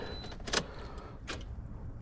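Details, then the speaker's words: 2013 Toyota Corolla no-crank after starter replacement: two sharp single clicks about a second apart, no cranking; voltage drops to zero at a bad positive battery terminal connection, not the starter. "So is this just a bad connection? Yeah, it was just a bad connection."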